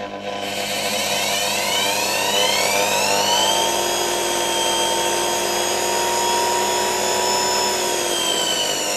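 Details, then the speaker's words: Motor removed from a 1989 Soviet Uralec vacuum cleaner, run on reduced voltage of about 50–60 V: whine rises, then holds high and steady, with a rough sandy rustle from sand and dust still loose in the turbines. "There are still some pieces of sand, some dust floating around in these turbines... I'll try to blow it out again with a vacuum cleaner soon."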